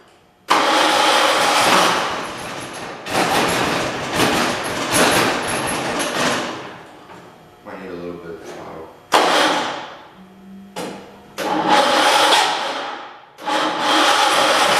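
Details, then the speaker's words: John Deere 216 garden tractor with rebuilt engine and transmission, first start of the day at 50 degrees: cranks in short bursts, catches and settles into a fairly steady cold idle; nothing abnormal stands out, carburetor may need adjusting. "motor was rebuilt everything was rebuilt on it transmission is rebuilt and it runs pretty freakin good"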